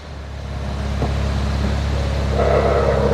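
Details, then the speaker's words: Toyota Corolla on first cold start, shifted into gear: idle deepens under load, then a whiny chirping tone creeps over the engine hum; faulty accessory belt tensioner. "o barulho que tá sorgo barulho feio né então vou est falando sobre esse barulho sobre o que que tem que ser trocado ali então galera vou mostrar o tensionador aqui que tá com problema para vocês"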